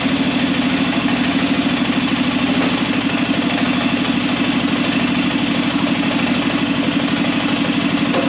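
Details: Arctic Cat Prowler engine just rebuilt with new pots (cylinders), first start after priming the carb: even, fast pulsing idle of about three beats a second with a steady exhaust note, no odd knocks; running fine while air in the system still needs bleeding.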